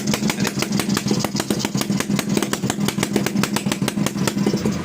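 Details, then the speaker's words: TVS XL Heavy Duty two-stroke moped, freshly rebuilt engine run on extra oil in the fuel: steady rapid popping, about five firings a second, slow and heavy without clean revving; the excess oil makes it bog and smoke. "కొట్టు, oil ఎక్కువ పోసి ఈ విధంగా. ఇందాక చూసారా మనకి బండి slow అయింది."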